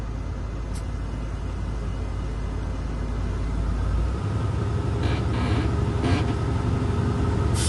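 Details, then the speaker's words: Automatic Volvo truck during an air brake in-cab inspection, engine running to build air to 125 psi before the governor cuts out: a steady low diesel rumble firming slightly, no knocks or leaks; compressor building pressure normally. "All I'm trying to do now is build up my air pressure to 125 psi."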